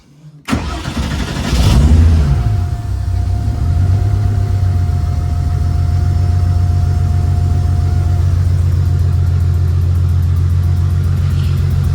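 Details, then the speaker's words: Honda EP3 freshly swapped to a K24: engine fires, revs and settles; a light rapid puffing tick follows engine speed over the idle, which sounds like valve tick but was confirmed by stethoscope to be an exhaust leak. "In person and in the video, it sounds like it's got a tick, but it does not. It's an exhaust leak. I've already checked it with this stethoscope."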